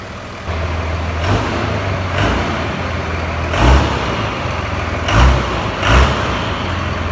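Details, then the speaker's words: Ford F350 swapped to a stock 5.9 Cummins diesel, large alternator and two new batteries: steady low idle with brief throttle blips, even smooth clatter, no knock, miss, smoke or blow-by; normal diesel idle. "No smoke, it's totally stock. That still sounds good."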